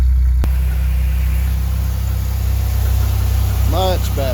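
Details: 1989 Chevy Celebrity with 205,000 miles, cold start the next day after idle-screw and vacuum-leak work: steady, even cold idle with a smooth hum and no misses. The TPS reads nothing. Normal cold idle.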